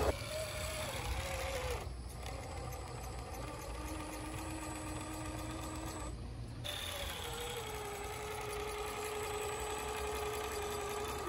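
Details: Traxxas TRX-4 Sport single-speed RC crawler, built from kit; small electric drivetrain whines with a quick, uneven ticking from the transmission, which persisted after clocking driveshafts and fitting MIP shafts; it was caused by excessive gear end play and fixed with a shim.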